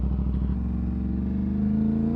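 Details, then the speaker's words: Aprilia RS457 parallel twin, about 26,000 km, nearly two years old and fully broken in, with AC Project aftermarket exhaust: steady, even low burble with deep exhaust note, no knocks or misses; healthy normal idle. "Tu dia punya enjin ni. Ada ekzos AC Project ah. Kau boleh dengar bunyi ekzos dia."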